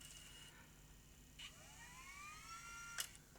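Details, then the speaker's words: Tascam DA30 MkII DAT recorder, no take-up, rewind or fast forward; faint motor whine climbs and levels while reels stay still, no tape retraction, reel drive toothed belt slipped off. "Doesn't sound very happy. And no take up either. No take no um tape retraction into the cassette. So we've got no reel drive at all. Does this machine have a real drive belt that may have fallen off or snapped?"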